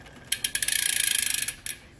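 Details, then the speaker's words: Shimano Ultegra road bike drivetrain cross-chained into 8th–11th rear gears: quick, sharp high-pitched ticking, about fifteen a second, as the chain side plate rubs and gouges the inner front derailleur cage; extra friction. "You're wearing out, you're gouging out the inner surface of the front derailleur with the side plate of the chain. If I shift into 8th, 9th, 10th gear, it's even worse. This slight rubbing becomes more noisy, more apparent."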